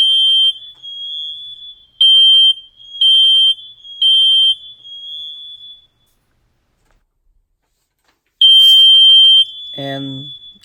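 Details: Smoke alarm tested after replacing its old battery with a new 9-volt one: a loud, high piercing alarm tone sounds in repeated bursts, then stops; the unit is working normally.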